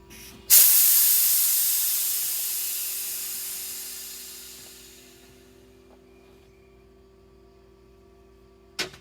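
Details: MCI MC5 coach with all-new nylon air lines: a loud sharp hiss that fades over about four seconds, then a quiet stretch and a short burst. Compressed air leaking.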